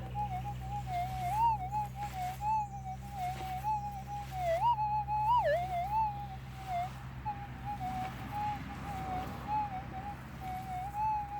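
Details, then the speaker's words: Minelab GPZ 7000 gold detector in manual ground-balance mode over a small gold nugget: steady mid-pitched hum with a clear wavering rise and dip as the coil passes; target heard better than in auto mode. "I could say that I can hear that better. Yeah, definitely better than in the auto mode."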